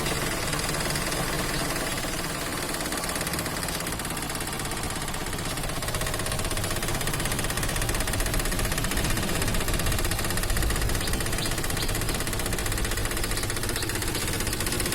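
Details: Toyota Axio engine idles rough and uneven with a wavering, slightly hunting beat; dirty electronic throttle body (butterfly) causes RPM problems, low pickup and stalling with AC on. The fix is cleaning the throttle body.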